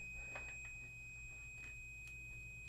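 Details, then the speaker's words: Toshiba EM131A5G microwave door switch tested off the unit with an ohm meter; constant unbroken continuity beep reading 0 ohms that does not change when the plunger is pressed: shorted switch, causing fan and turntable to run with door open; replaced. "I press the plunger, nothing happens. Okay, let me go see if I have a replacement switch."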